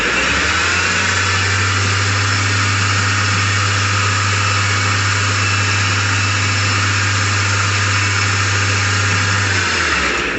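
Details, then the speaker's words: 1 hp Chinese mini lathe with change gears refitted, gear gap set with doubled paper: smooth, constant hum holding one pitch, then a clean spin-down, no whine or clatter; runs quiet at 1900 RPM, above its 0–1500 RPM spec. "1900 RPM and this says it's supposed to go zero to fifteen hundred so I got it to run 400 RPM faster than our specs it's all good"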